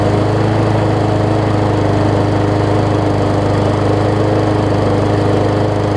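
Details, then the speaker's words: Murray 20-inch 3.75 hp mulching push mower, long dormant with a stuck-open intake valve that was freed, after an oil change with Seafoam, new air filter, primer bulb and pull rope, and the governor vane freed: smooth steady drone, no misses or surging, much better rpm. "much better in the rpm department very nice"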